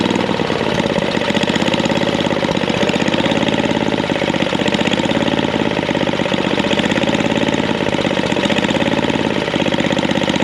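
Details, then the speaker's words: Snapper I422 antique snowblower, small single-cylinder engine, idle circuit tuned: even, confident chugging idle with no misses and no hunting speed; steady healthy idle. "You can hear at idle, it's chugging along, but it's not really missing. It's not searching. It's just nice and got a nice confident idle."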